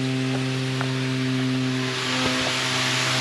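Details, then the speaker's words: House with a roof header tank feeding the hot water cylinder, hot tap open and shower pump running: a steady droning moan with hum and hiss rattles loudly through the copper pipework, from a vibrating ball valve in the tank. "You can hear that. So that is rattling all the way through the house, very loud."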